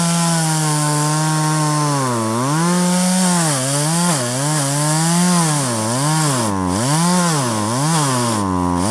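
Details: 1997 Poulan 2150 chainsaw, about 23 years old, cutting box elder tops with a dull chain: screams high, bogs smoothly into each cut and recovers cleanly; cuts well, lighter than the owner's Stihl, chain needs sharpening.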